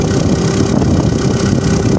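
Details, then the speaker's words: Seat Ibiza VAG 1.4 MPI (BXW) just started cold after oil pickup screen and sump cleaning for lifter noise: even, steady idle, much quieter, no clatter or diesel-like knocking; slight rasp from a leaking muffler. "машина принципе намного тише работать то есть нет уже знали длительного звука"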